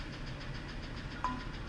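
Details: F-150 with 180,000 miles, idle: faint quick regular ticking knock, getting louder; cause not confirmed; plug check possible, replacement engine recommended; engine knock.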